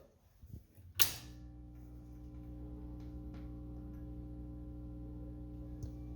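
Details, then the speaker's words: Atari Asteroids arcade cabinet power-up, fuses removed so only heater voltage should be present: a sharp pop, then a steady low buzzing hum as the fluorescent tube lights; normal fluorescent lamp start-up, confirming voltage. "all right that popping noise i was hearing was the uh the fluorescent light coming on so we got voltage"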